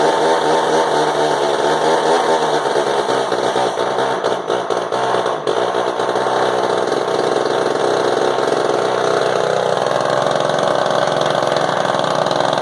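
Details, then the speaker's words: Orange Frounteir Mark 1 chainsaw, a Husqvarna 35 variant, after hard starting: loud buzzing two-stroke holding a strong, even rasp with a slight rev change midway and no sputter; normal running. "That's a loud little saw. That is a loud little booger."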